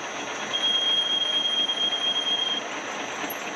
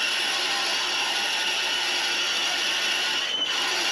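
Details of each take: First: 1911 Hendey cone-head 6x16 lathe machining a new water pump bushing for a 1914 Studebaker SC-4: thin, steady high squeal rises over the cutting noise for about two seconds. Tool loading up from a too-deep cut. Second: Drilling out a bearing-bronze water pump bushing for a 1914 Studebaker SC-4 on a 1911 Hendey 6x16 cone-head lathe with cutting oil: even, high scraping hiss of a steady, healthy cut with brief pauses to clear chips.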